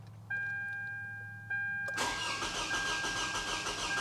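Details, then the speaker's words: 2009 Toyota Camry with a recurring cylinder 2 misfire under load, plugs, coils and pigtails already replaced, cranking for a relative compression test: starter cranks with an uneven, lopsided cadence, some strokes lighter than others, pointing to low compression. "cuz I'm telling you just spinning it over it sounds like it's got a little bit of a a Cadence issue when it's first starting to crank over"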